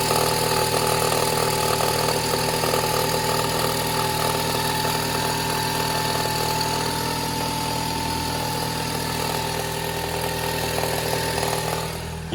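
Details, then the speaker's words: Toyota Harrier 5S-FE cold start at about 1500 rpm; fast crackling rattle about three per second over the engine note, present for four months and gone once warm; cold-start rattle, cause unknown. "Завожу мотор, точнее запускаю. Вот, машина стояла холодная все это время. И какой-то треск в моторе непонятный."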